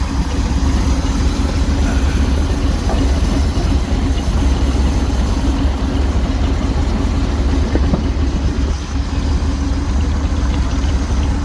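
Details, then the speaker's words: 1969 Jeepster Commando with new battery, still warming up, loose hanger noted: low, steady idle with slightly uneven beat, no knocks; engine sounds healthy, normal idle. "Yeah, don't want to idle right now. It will in a minute. Looks like I got a loose hanger. Sounds good."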